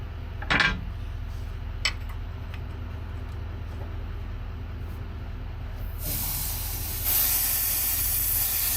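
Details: Terex carry deck crane bought as a non-runner: a sharp, steady hiss rises and grows louder as pressurised propane escapes from an open fitting while the fuel solenoid is being bypassed to feed propane directly.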